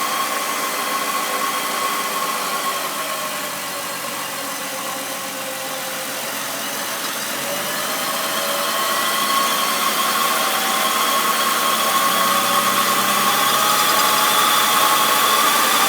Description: Squeaky bearing on its way out